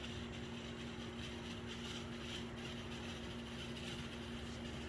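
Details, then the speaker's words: MDC Roundhouse Shay model locomotive kit with the most powerful motor fitted and a DZ123 DCC decoder, running in reverse at speed step 6 while pulling a heavy scrap car: a steady, even-pitched high gearbox whine with a faint buzz that the gearbox will always make. "Now I've done everything I can about the sound. But that gearbox in there is always going to make that sound."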